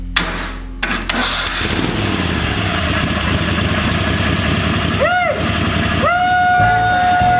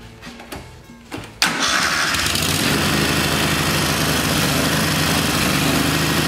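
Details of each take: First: Kohler Command V-twin mower engine after swapping in a used camshaft to fix a faulty compression release: cranks, fires and runs steady and even without knocking; occasional hard spot while cranking; healthy. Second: Kohler Command V-twin mower engine, running rich and rough: after cranking, steady rough roar that won't idle; bad camshaft compression release not flinging out, kicking valves open.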